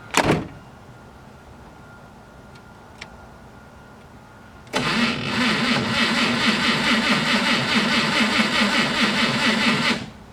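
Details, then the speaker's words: Slow, labored cranking at roughly two turns a second for five seconds, no start; multimeter across positive starter cable shows about 1–1.5 V drop while cranking (12 V in, 11 V out), the wire looks fine but starves the starter. "so as you can see we have about a 1 to 1.5 voltage difference while the car is cranking which means that's the voltage that's being subtracted"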